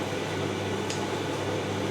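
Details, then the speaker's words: Simpson EziLoader dryer, model 39P400M-V1, after new belt and drum bearings, back and manifold refitted, running one direction (previously noisy in one direction): even, steady low drum hum, no rumble, squeal or scraping; nice and quiet. Normal drum running. "oh that's nice and quiet it's going One Direction like I said it was making a noise going in One Direction my fairly quiet"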